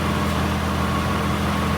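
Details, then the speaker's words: 3.5 L V6 car with a rusted exhaust, idling while a hose is used to listen along the pipe: raspy, puffing blow over the engine hum from rusted seams and holes, confirming an exhaust leak there. "And then, can you hear that? That's how we know there's a leak there."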